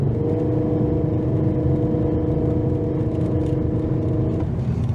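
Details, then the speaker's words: 2009 Honda Accord at full throttle, pedal to the floor: flat droning engine whose pitch barely climbs, flashing check engine light, misfiring with no power; owner had replaced spark plugs, coils and injectors; misfires on every cylinder. "yeah there's something majorly wrong this thing can't get out of its own way"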